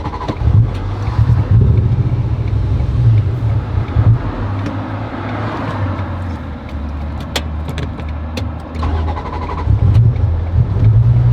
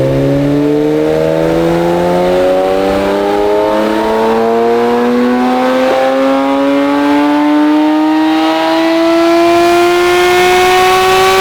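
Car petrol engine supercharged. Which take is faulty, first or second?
first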